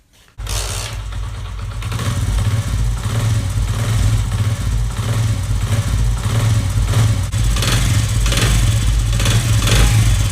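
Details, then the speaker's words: Honda CD70-type motorcycle after replacing loose clutch springs: steady, deep idle with even pulses, no rattle or chatter whether the clutch is pulled or released. Normal clutch noise. "तो friends यह देखिए आप चाहे कांच पकड़े हैं या छोड़ें हैं आवाज में वह एक तरह की रहेगी ठीक है"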